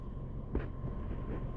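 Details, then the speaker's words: 2014 Chevy Sonic after starter and crankshaft position sensor replacement: low, even rumble with no misses, stumbles or knocks, settling into a smooth, steady idle; runs smoother than before, normal idle. "It's running a lot more smooth now, too."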